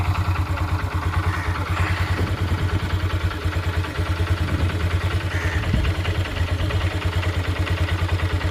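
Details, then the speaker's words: Honda Dream Yuga after a full engine rebuild, started on the self-starter: single cylinder idles with a steady, even beat of about three pulses a second, no misses or knocking; light exhaust smoke after a diesel flush, smooth healthy idle. "చాలా అంటే చాలా smooth అయింది బండి మొత్తం మీరు sound వింటే మీకు అర్థమైపోతది బండి కూడా ఏం ఆగదు అన్నమాట"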